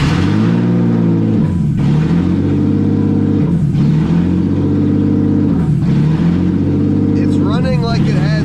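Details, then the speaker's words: BMW M50 six-cylinder swapped into E30, first start with no exhaust after replugging TPS and MAP: idle rises and falls about every two seconds, on all six; owner suspects a bad vacuum leak, unconfirmed. "it's running now it sounds like it's on all six but it's kind of running like it's got a bad vacuum leak but it's really hard with no exhaust"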